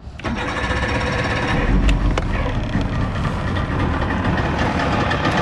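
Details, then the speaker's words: 50 HP Evinrude/Johnson outboard on a Sea Nymph fishing boat, long-sat motor after tune-up, manual choke: cold start fires almost immediately, settles into steady even two-stroke run, little smoke, water flowing; normal cold start. "all right so that was a cold start to me it sounds like that's running pretty good"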